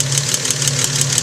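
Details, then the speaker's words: 1956 Jaguar XK140 at idle during inspection: a quick, even ticking above the engine hum from a couple of excessively noisy valves with excessive clearance. The fix is a valve adjustment by replacing shims under the valve covers, which also addresses the leaking valve cover gaskets. "the valves there are a couple of valves that are excessively noisy the only way to get rid of the noise is to adjust the valves"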